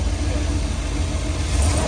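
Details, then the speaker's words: Prism Supply 4x4 van V8 after the burnt plug wire, probably arcing against the manifold, is put back on: deep, even burble with no stumble or skip, smooth now that all cylinders fire; normal idle. "You think I should get real close to it? Yeah. Yeah. Pretty smooth, ain't it?"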